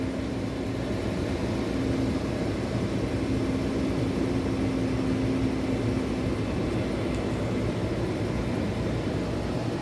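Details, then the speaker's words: 2015 Dodge Charger, automatic, push-button start after no-crank/no-start repair (damaged wiring fixed): engine fires and settles into steady even idle, faint constant whine over smooth low rumble; running normally. "Ayan guys. So okay na. Start na siya guys."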